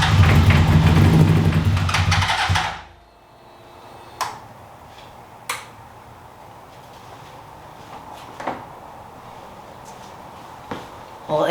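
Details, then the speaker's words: 2003 Honda CBR600RR, first start attempts on a newly acquired project bike: a few seconds of rough cranking with uneven sputters that never catch, then silence. Crank no start. "it's almost there it's trying I'm going to make sure everything's not on fire"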